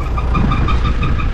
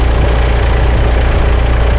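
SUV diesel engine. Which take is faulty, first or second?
first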